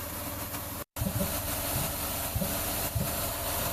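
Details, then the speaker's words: Ford Escape V6 (2004/2005) with pending P0355 coil E primary code: steady idle broken by a dull stumbling puff every half second to second, backfiring through the intake with engine shake; cylinder 5 misfire from a failed ECM coil driver. "I can hear, I don't know if it's capturing on video, but it sounds like it's almost like misfiring, backfiring through the intake. And when it does that, you can see the engine shake a little bit."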